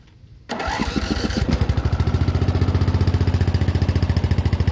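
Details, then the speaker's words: Murray riding tractor after bolting the engine in properly (it used to bang at shutdown) and fitting a brand new starter: cranks, catches within a second, even single-cylinder chug; normal start and running, no noise at shutdown. "So no noise when it shuts off. That is a brand new starter as well."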